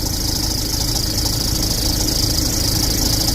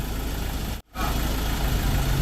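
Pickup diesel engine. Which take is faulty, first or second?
first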